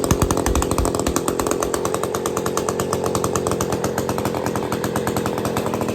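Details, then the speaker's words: Old Bolens gear-drive chainsaw two-stroke running for the first time in the owner's years of having it, no choke, kill switch not refitted; steady high idle with even, quick firing and no misses. Normal running. "here woohooo we got we got a saw that runs"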